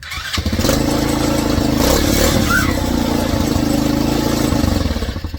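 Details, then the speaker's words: Old Tao Cheetah kids 125 ATV running again after a bad stator was replaced, before fitting a new PZ22 carb in place of the VM20: catches and settles into a steady, even putter with no misfire or stumble. Runs normally. "okay, so now that it's back to running again, I can actually put this new carburetor on here and get this thing tuned."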